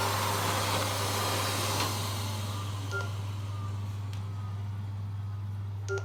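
Short high beeps sound in pairs every few seconds over a steady low hum; the robot vacuum is signalling an unexplained alert.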